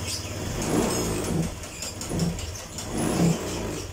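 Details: Honda Vario 125, fairly new, suddenly sputtering; scanner shows no fault codes, idle reset done, spark plug next suspected: revs surge and sag in uneven bursts about every second under throttle.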